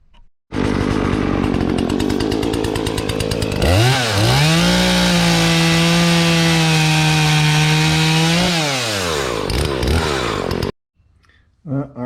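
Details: Husqvarna 240 chainsaw reassembled after a broken plastic tab, with brake released and saw adjusted: revs up, holds strong steady tone cutting, drops back cleanly with no bogging. Normal running under cutting load.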